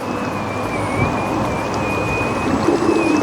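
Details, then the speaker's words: 3D-printed Ardupilot RC power boat on sea trial, with a lighter battery in a new position: a high motor whine that wavers in pitch over water wash as the propeller races into air pockets. Still cavitating, so more weight at the back is suggested. "cavitating there. And what's cavitation for people that don't know? It's when the um propeller's coming out of into an air pocket."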